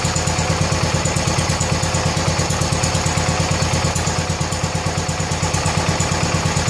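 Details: 1970 John Deere 140 H3 garden tractor single-cylinder, just after replacing a severely leaking blown head gasket: steady, even putter about three beats a second, no knocks or misses; runs good and quiet, nearly out of gas.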